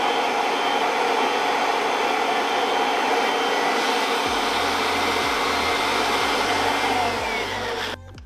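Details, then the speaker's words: Kirby Avalir 2 vacuum with the stretch hose retracted to three feet, vacuuming velour trim: a strong, steady hiss of airflow with the brush motor humming evenly, cutting off at the end. Normal running. "we're setting it just at three foot and it should be a lot more powerful than with a standard seven foot six hose because it's pretty close and it's got less distance to travel with the airflow"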